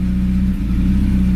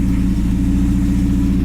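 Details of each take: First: Honda Civic EK after new NGK spark plugs, misfires gone: a deep, loud, raw droning exhaust under revs from an exhaust leak; replacement exhaust pending. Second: Honda EK Civic four-cylinder after new NGK spark plugs: steady, even idle with no stumbles or misfires; an exhaust leak is present.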